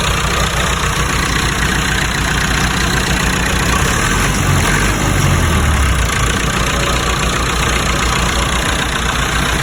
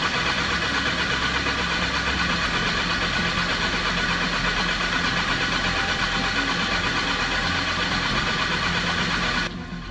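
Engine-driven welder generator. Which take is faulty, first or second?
second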